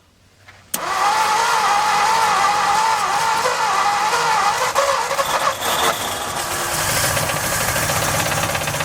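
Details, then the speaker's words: 1955 Ford F250 after 30 years sitting with a formerly locked engine, weak spark and old fuel in the tank, at its first run. It catches after a short crank, then runs with an uneven, wavering, stumbling note; rough running, likely short of fuel. "It just ran. If I could get more gas in it, it'd run longer."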